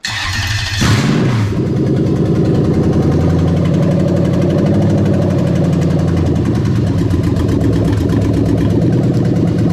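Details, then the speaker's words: Lexus LS400 1998-2000 1UZ-FE VVT-i V8 swapped into an IS200 with J160 6-speed manual and plug-and-play adapted harness: brief crank, quick catch, smooth even fast cold idle about 1200 rpm, no miss, no check engine light; normal. "there you go all right so looking over there you can see the tacos working and it's about 1200 rpm"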